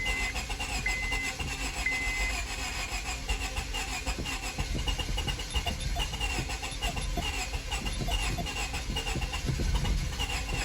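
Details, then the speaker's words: 2002 Honda Civic (7th gen) that sat months after clicking no-start: long steady cranking, no catch while owner cycles fuel pump to prime; owner suspects lost fuel pressure or rat damage to fuel lines. "on come on get going almost almost i hope it's not that rat what it did but it sounds like it's wanting to go i hope that rat did not shoot on any of my fuel lines what i'm doing is i'm cycling the fuel fuel pump"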